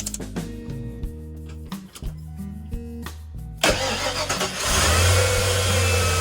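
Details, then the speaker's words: 1993 Ford F-150 5.8L 351 Windsor, previously erratic idle then no start (code 121, TPS ohms not changing), after throttle position sensor replacement: engine catches and settles into steady even idle, no stumble or surging; normal start and idle. "Well, it's running, so that took care of that."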